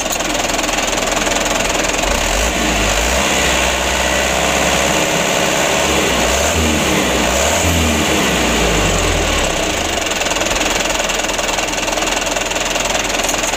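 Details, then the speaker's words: 2008 Mitsubishi Canter 125 diesel at idle after adjustment/tune-up that fixed shaking idle: steady even clatter about three beats a second, no missing or uneven firing. "debrur untuk penyetelannya sutelo ini sudah sama-sama kita lihat ya alhamdulillah untuk hasilnya seperti ini"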